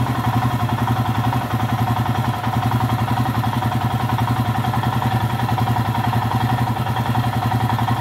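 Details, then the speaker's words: Motorcycle after three hours of riding and idle adjustment, parked at just under 1500 rpm: engine now holds a fast, steady idle near 2000 rpm with even beat and no dip; idle set too high, cause unresolved. "came back and then what did you guys see you saw it idling high hitting close to 2 000."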